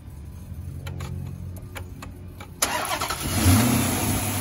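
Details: 2006 Dodge Charger after replacing all 16 spark plugs (old ones in bad shape): quick crank, catches and settles into steady, even idle with no misfire or stumble.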